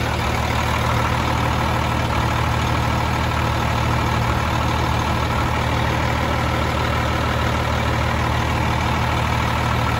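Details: Freightliner FLD120 with Cummins M11 diesel after replacing the fuel water separator to cure air in the fuel: steady, deep rumble with an even beat around three per second, no stumbles or misses; smooth, healthy idle.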